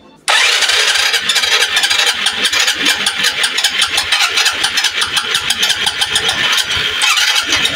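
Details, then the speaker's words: Suzuki Hayate 125 fuel-injected single-cylinder that wouldn't start, now running on a charged battery: uneven, stumbling beat, misfiring and then dying. "yon yan medyo medyo palyado nga lang tapos namamatay an ang problema"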